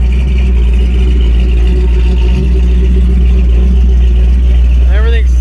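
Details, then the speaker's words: Holden HQ ute with a 350 Chevy V8 swap, first run after fitting: a deep, steady idle with an even low rumble and no misses or ticks, sitting happily at about 1000 rpm. "like it's doing what it's supposed to be it's sitting there good idle"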